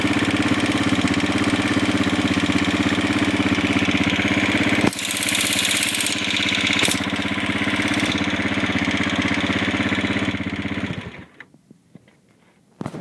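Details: Honda CG250 single-cylinder at idle until shutdown; steady light ticking about three per second over the idle; owner suspects the valves, cause not confirmed.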